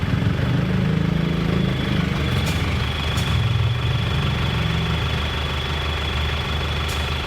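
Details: 2001 Isuzu Panther diesel, which previously smoked and made noise, after repair: pistons and piston rings replaced and original liners reconditioned. Steady, even low diesel clatter at idle with no heavy knock. Now smooth and clean. Normal idle.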